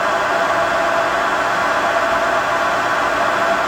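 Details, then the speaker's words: 33" x 120" Clausing Boravia engine lathe, test run after minor cross-slide rapid traverse repair and cleaning, spindle at high speed (about 900 RPM). Smooth, constant whir with no knocking, grinding or rising whine; the headstock sounds good. Normal running at high speed. "Belts squeal a little bit when it takes off. There's a lot of torque there on them. That's high speed right there. That should be 900 RPM."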